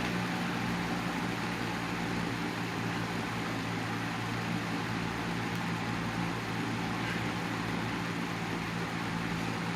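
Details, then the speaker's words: 1987 Patton CA-1284 12" rotary box fan with the front guard back on, running on low. Steady low hum and an even rush of air with no rattle or ticking; it runs very smoothly with minimal vibration. "it's running very smoothly minimum vibration"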